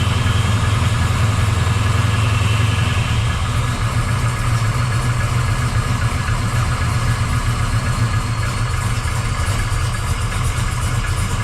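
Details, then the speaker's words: 1979 Camaro Z28 V8 on initial test fire after replacing the Pete Jackson gear drive with an Edelbrock double-roller timing chain, new balancer and water pump, warming up: loud but even burble, no gear whine or rattle; healthy idle. "I know it probably sounds loud but that is super quiet cuz you don't hear that Gear Drive lining"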